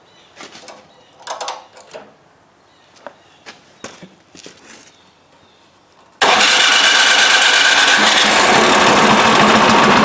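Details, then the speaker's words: Craftsman 26 Quiet snowblower (model 247.886940), after cleaning a gummed-up carburetor and priming: engine catches on choke after light clatter and runs fast and even with no misses. "Alright, I'm satisfied. Let's finish putting it back together. So that's all it is, just a gummed up carburetor."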